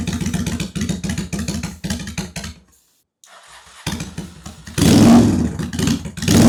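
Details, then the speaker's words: 2001 Honda Shadow VT750 after carburetor cleaning, airbox off: V-twin fires up, stumbles briefly, restarts and revs cleanly on both cylinders; front possibly running slightly richer. "That sounds like both. Yeah, the rear is running a little richer. Or no, the front is running richer."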